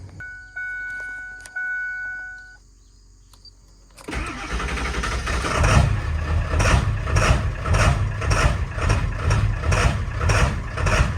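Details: Ford 7.3L Powerstroke diesel with cold/hard start issue: slow crank catches, then lumpy idle with about two irregular stumbles a second, cackling and shuddering; unplugging the new Motorcraft ICP sensor changed nothing on the scan tool, and it proved faulty.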